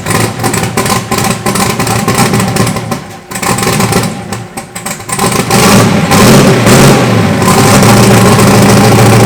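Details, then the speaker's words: Freshly rebuilt turbo 5.3 LS (LH6) V8, S475 turbo, Terminator X Max, stage 2 turbo cam, on first start: loud, deep, steady beat that dips then picks up strongly as revs rise; runs without misses, though oil is blowing out and fuel leaks. "But shit runs, starts up. Just jumped out the starter with the screwdriver, and good to hear it run, you know, getting it fired up after all this work."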